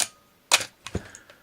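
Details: Canon AE-1 Program 35mm film SLR with 50mm FD f/1.8 lens stopped down, shutter at 1/2 second: a crisp opening click, a closing clack about half a second later, and a small mirror settle. Correct, normal slow-speed timing.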